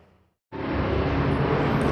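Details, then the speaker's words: Honda Beat FI scooter starting after the ECU starter wiring jumper (yellow-black and yellow-green wires cut) for a harsh starter with a weakish battery: fires at once and settles into a steady, even run; starting now strong and normal. "Try it now, it's been changed, yes, the latter Okay, the starter is fierce,"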